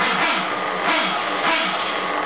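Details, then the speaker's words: Ported and turboed Trinity Xtech .24 nitro truggy engine during first-tank break-in, pre-run tune, low-speed needle leaned slightly to get it to idle; high buzzy steady idle with slight surges, clean and even: normal idle. "so so we got it cranked up pretty good right now seems like it's idling pretty good took me a few time to get it uh had to lean it up on the low speed needle just a kick to uh get it to idle"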